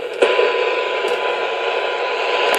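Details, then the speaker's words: President McKinley 40-channel AM/SSB CB, volume full on its internal speaker, fed a 1 mV signal with 30% modulation at 1 kHz near channel 19: steady static hiss with a faint constant 1 kHz tone. Adjacent-channel interference bleeding into the receiver. "Now I know you can hear the the pickup in static, but I can also hear a tone."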